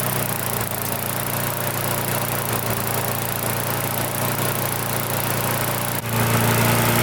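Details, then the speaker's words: Mid-2000s MTD Yard Machines push mower with air-vane governor, freshly primed after pull-start repair, idles slightly unevenly then jumps abruptly louder; fuel leaking at carburetor, owner assumes it detached from the tank, causing the surge. "well that actually runs pretty well however I can see there is fuel leaking out of the carburetor right there in the same basic location that it was leaking out on the red mower"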